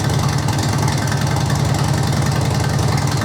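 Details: 2005 Harley-Davidson Electra Glide 88ci, about 2500 miles since rebuild, idling in neutral after an oil and filter change: steady, lumpy V-twin potato-potato beat with no knocks or ticks; it runs properly.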